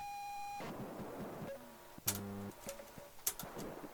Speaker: Can you hear the sound? Looks like a massive rumbling. Come on. Oh no. Not a good tape.